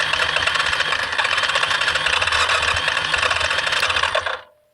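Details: 2003 Yamaha Kodiak 400 automatic ATV with water in the oil, an overheat light when running, and spark present, cranked at full throttle: rapid, uneven chatter for about four seconds with no firing. Owner suspects no compression and a needed top-end rebuild.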